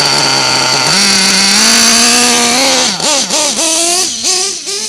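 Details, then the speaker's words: Nitro RC car (modded Nova engine), cold before warm-up, high buzzy note that burbles and stumbles on throttle blips, sagging and recovering unevenly; running too rich while cold, to be leaned after warming. "running really rich me to get her warmed up you can hear it sounding running rich never gets warmed up"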